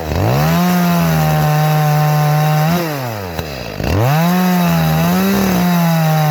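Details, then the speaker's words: Echo CS-310 chainsaw after primer bulb replacement and leaning the carburetor about a quarter turn: holds a clean steady high pitch in the cut, dips briefly and recovers evenly with no barking; running properly. "that sounds really good now. All I had to do was just kind of lean it out a little bit."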